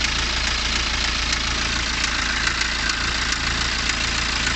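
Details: BMW N47 177ps diesel at idle: a faint, somewhat uneven tap about twice a second, an unknown knocking sound the owner asks about.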